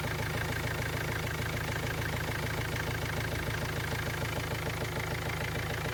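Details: Ford Transit Mk7 diesel after glow plug replacement and reconnecting the loose camshaft sensor plug: settles into a steady, even idle, smooth low beat, no knocks or misses; running properly.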